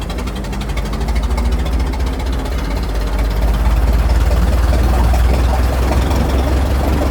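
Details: Restored 1921 American LaFrance fire engine (Licking County Fire Dept.), restoration finished, on a ride: deep, even rumble holding steady and smooth with no knocks or misses; big old petrol engine running healthy.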